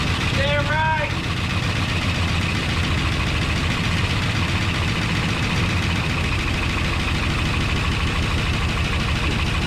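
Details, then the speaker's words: 1972 Ford F250 Ranger XLT Camper Special, first start after sitting, coil hot-wired: brief starter chirp, engine catches and settles into a steady, even idle with no knocks or misses; pretty quiet, sounds good. "pretty quiet she sounded pretty good"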